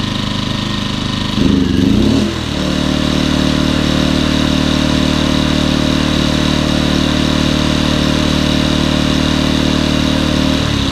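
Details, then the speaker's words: Champion 2000W 73536i generator with about 16–24 hours of use, which surged at idle and at higher rpm. After the carburetor was removed, the plugged idle jet cleaned and a fuel filter added, it runs with an even hum and a brief speed change from the economy switch. "that's what it's supposed to sound like"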